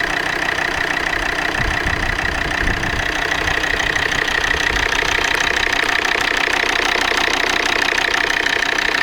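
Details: Volvo D5 diesel idling cold: a steady, sharp knock about three per second rides over the clatter, and no service shop could identify it; cold-start engine knock, origin unknown.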